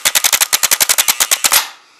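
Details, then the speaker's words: Truck starter bench tested with jumper leads: about fifteen sharp metallic clacks in quick bursts with no motor whir; solenoid engages but the starter motor no longer spins; faulty starter. "yeah it's uh yeah it doesn't spin no more yeah that's what's wrong with it it still kicks in but it just doesn't you know do the spinning part"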